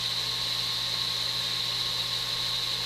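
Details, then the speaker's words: Breville Smart Toaster Oven repaired (spring replaced, parts realigned), air-fry mode started: an even, airy rush with a low, steady hum and no ticking or rubbing, drawing 14 amps; convection fan spinning fast, healthy. "let's do an airfry and let's start oh listen to that fan go"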